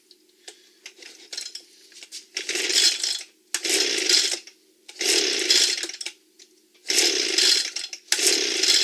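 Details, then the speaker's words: Echo leaf blower reassembled with new parts: repeated rasping pull-cord strokes about every 1.5 seconds, no firing; primer bulb not bubbling, seems not to be drawing gasoline, won't start. "Maybe it'll suck the gasoline in. This is all tight. It doesn't seem to be getting actually gasoline in for some reason."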